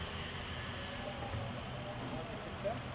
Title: Ford expedition misfiring